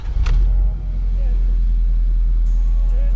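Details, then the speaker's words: Tuned and deleted Ford F-350 diesel with 5-inch exhaust, started and idling, heard from inside the cab: steady low, even, smooth diesel rumble with no knocks or ticks, surprisingly tame; normal healthy idle. "So as you can hear, like with the 5-inch exhaust, I thought this was gonna be like obnoxiously loud, especially at idle or just chilling here. It sounds completely tame, like there's nothing crazy going on with like noise or anything like that."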